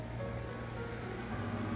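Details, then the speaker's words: Samsung front-load washing machine after replacing the drum spider, tested at top spin speed: a quiet, steady low hum with no knocking, scraping or rumble; the drum turns smoothly and is fixed. "நல்ல ஸ்பீட்ல கூட நமக்கு எந்த ஒரு நாய்ஸ்ும் இல்லை பக்காவா சூப்பரா இருக்கும்"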